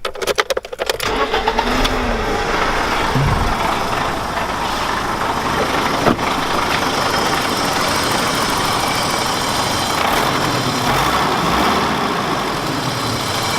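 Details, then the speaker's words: 1991 BMW E30 Touring, hot after a half-hour drive, after fixing valve ticking: brief crank, quick catch, steady even idle with no clear top-end ticking; running smoother, normal idle. "I'll pop the hood and start it up seems to be running a lot smoother"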